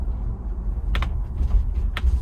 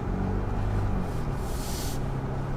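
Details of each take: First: 2021 Ford Bronco First Edition, factory optional mold-in-color hardtop never removed: sharp pops roughly once a second from the roof over low road rumble inside the moving SUV, annoying roof hardtop popping and creaking. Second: 2021 Ford Bronco First Edition with a new Bestop Fastback soft top replacing the squeaky, creaking factory hardtop, driving over small bumps: only low road rumble, with no clicks, pops or rattles from the roof.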